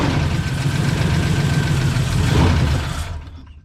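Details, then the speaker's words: 1989 Ford Mustang GT 5.0 Fox body, first run, sprayed with brake clean: it catches and runs ragged and lumpy for about three seconds, then dies whenever throttle is given; it runs only while sprayed. Fuel starvation suspected. "As I try to give it any goomp, it just dies. Still got some. As long as you keep spraying, it keeps running."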